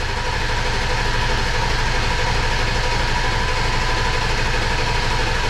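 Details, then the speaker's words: 2002 7.3 Powerstroke diesel, first start attempt after engine install: steady, even cranking, turns over but never catches; no fuel pressure, likely air in the fuel system. "they said there's still a bunch of air in the fuel system so this might"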